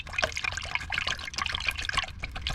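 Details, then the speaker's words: 2014 Ford Fusion 1.5L EcoBoost, codes P0245/P0246 wastegate solenoid: removed vacuum accumulator tank shaken by hand gives wet sloshing and gurgling like a soda can; oil contamination inside accumulator, solenoid also filling with oil. "It sounds like I'm shaking a can of soda pop."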